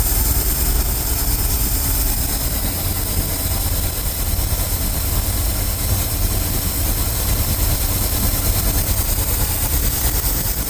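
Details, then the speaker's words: Ford F350 dump truck, carbureted, first start after new belts: deep lumpy idle with an uneven low throb that never smooths out; carb running rich and trying to boil over, owner expects to pull it apart; rough idle. "Yeah, I think I'm gonna have to end up pulling this carb out or apart because it's trying to boil over. And it's idling really rough."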